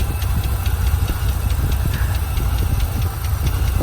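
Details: Ford Ranger (mid-1990s) 3.0 V6, 5-speed, from a wrecked truck, tested before swap: deep, lumpy idle with irregular low thumps and uneven beat; broken vacuum lines sucking air, engine judged healthy and salvageable.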